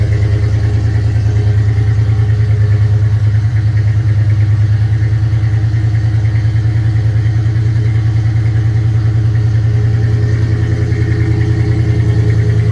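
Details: 1996 Ford Bronco V8, on a cold start after sitting unstarted all winter and parked 2-3 years, fired right up and holds a deep, smooth idle with an even beat and no knocks, misses or ticks; it sounds healthy.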